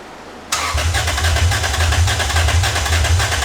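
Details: 2001 Lexus IS300 just fitted with catless aftermarket header; catches and settles into uneven, loping idle with low thump about every half second, suspected cylinder 3/4 misfire; compression and plug on 4 good, coil pack swap planned.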